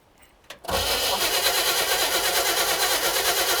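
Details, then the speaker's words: 1960 Chevrolet El Camino, not run since 1998: steady cranking at about three turns a second for three seconds with no firing; a spark check showed no spark. Ignition power, coil or points suspected, not confirmed, so the next step is checking coil power. "No spark. All right, now the question is why? Is the ignition circuit not powered? Is the coil junk?"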